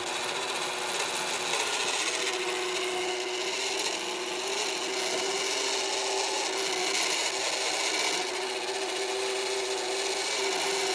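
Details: Magicfly egg incubator turner's synchronous motor makes a loud, continuous scratchy rasping grind over a faint steady hum; grinding noise from turner motor.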